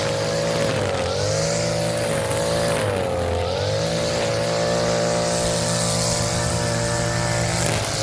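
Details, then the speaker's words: Echo SRM-230 two-stroke string trimmer after carburetor replacement, revived after sitting years, cutting weeds in hot weather: high buzzing note sags briefly under load and recovers; running healthy. "Back from the dead. You would have never thought this would turn back on as bad as shape it was."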